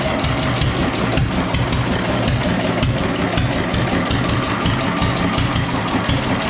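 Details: Fully restored, disassembled and rebuilt Deutz stationary engine: an old diesel chugging at a steady, unhurried beat with no knocks or misses; it runs smooth and sounds in good health.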